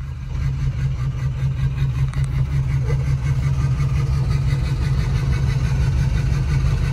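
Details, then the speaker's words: Ford 6.0 Powerstroke diesel, limping home with the ICP (injection control pressure) sensor unplugged, idles with an uneven, loping beat of about two to three pulses a second. Very rough running, like a lope tune. "i have the icp sensor unplugged that's why it's running real rough but it's running is running so rough sounds like a darn lope tune"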